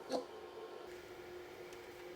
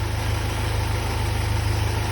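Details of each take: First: Freshly rebuilt Land Rover 2.25 petrol engine, first start attempt: the starter churns about 2.5 seconds with no firing. The fuel pump delivers no fuel even after prefilling, so the pump is bad. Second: Freshly rebuilt Land Rover 2.25 petrol engine on its first run, oil pressure good: a low, steady idle with an even firing pulse and no top-end noise. A separate rattle comes from the exhaust. A normal, healthy idle.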